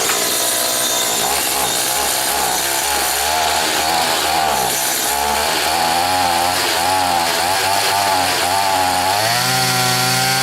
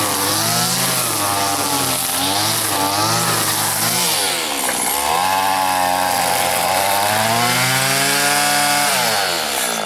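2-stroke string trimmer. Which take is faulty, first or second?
first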